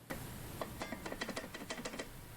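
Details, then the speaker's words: A5 Air kick scooter rear wheel with axle nuts loosened to stop binding: light irregular clicks and clinks, about five or six a second, as the wheel rocks back and forth; wheel bearing play. "right here is an example of um what it sounds like if i have it loose enough to where i like it but then it has the play"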